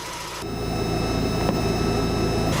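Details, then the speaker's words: Car idling smoothly after fuel pump replacement, before reassembly; pump not heard priming at key-on, engine started after 1–2 cranks, catching quickly and settling into an even idle with no stumble; normal start and idle. "Well, it started right up."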